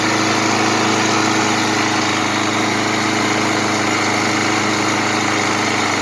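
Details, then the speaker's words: Kohler 149cc small mower engine after reaming a blocked passage to fix blow-by, warming to normal running temperature: steady, even putter at constant speed with no surging or stumbling; smooth healthy idle. "so I'm going to let the engine warm-up to its normal running temperature"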